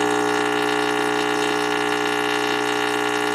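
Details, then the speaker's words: Radio receiver under repair for an oscillation, probe held at the rectifier converting AC to DC: steady, even buzzy hum with a clean, unchanging tone, no crackle or dropouts; rectifier hum is normal. "This is picking up the rectification going on inside this rectifier right now. So that's changing AC to DC and we're hearing"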